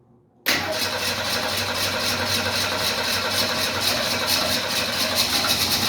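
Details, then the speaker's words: 1968 Mustang starting after an earlier no-start: cranks, catches almost at once and settles into a smooth, even run, with a slight exhaust leak; normal start and idle. "Listen to how smooth that thing sounds. We got a little bit of exhaust leak, but these cars have always had exhaust leaks."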